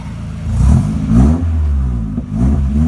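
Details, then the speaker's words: 1989 Nissan 240SX revved in the shop right after a Flowtech Red Hot glasspack muffler was welded in to cure a high-pitched cackle: short revs with a deep, smooth, solid exhaust note and no cackle. "that is much better already and I'm not still in the shop but I'd already sounds better don't have that crazy loud high-pitched cackle to it it's just got a good good solid tone to it"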